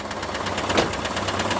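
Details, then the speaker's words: Chevrolet Camaro IROC engine at idle with accessory belt removed: sharp, regular clacking about ten per second, clearly pronounced over the engine, so it comes from inside the engine; cause not yet identified. "They are not supposed to have that clack, clack, clack, clack, clack, clack, clack, clack, clack, clack, clack, clack."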